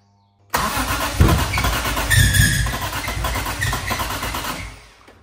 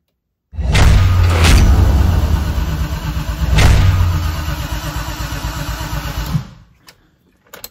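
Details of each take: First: BMW E30 M3 with swapped S54 engine, first start attempt: starter cranks steadily about four seconds with no firing; injectors not firing because the 30A fuel injection fuse was blown, later replaced. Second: BMW E30 M3 with swapped S54 engine, fluids filled and electronics not yet connected, first turn-over test: even cranking at roughly three compression beats a second for about six seconds, no firing, no grinding, turning over cleanly.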